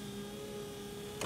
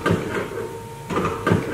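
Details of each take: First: 2014 GMC Terrain, wipers stopped working while the motor still ran, after broken wiper linkage replaced and old motor reinstalled, tested with key on and engine off: steady even motor hum with light sweep noises, no grinding or clunking; normal operation. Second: 2014 GMC Terrain wiper motor: electric whir in repeating bursts about every 1.5 seconds with no arm movement; motor works but linkage broke apart, fixed by replacing linkage and reusing motor.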